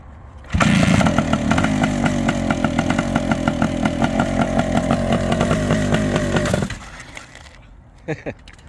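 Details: Long-stored Suzuki TS400 Apache two-stroke with a partly seized clutch, first revival start: loud, raspy buzz with a fast crackling beat holding steady about six seconds, then cutting out; engine runs.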